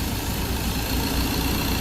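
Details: Ford 2.0 Bi-turbo diesel at 150,000 km, test before delivery after a third injector repair: the fuel pump failed and metal debris stuck the injector needles, and the tank was cleaned. Warm engine settles into a steady, even idle with a smooth low rumble, no misses or knocks.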